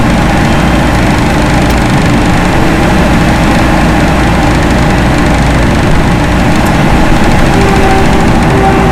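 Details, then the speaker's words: Loren Cook 100 ACEM rooftop commercial exhaust fan after motor replacement, turned down from full to half speed: steady low hum and even airflow rush, no knocking or scraping; normal running. "There it goes, full speed. See the towel moving? I don't know if we need full speed. I'm going to turn it down some."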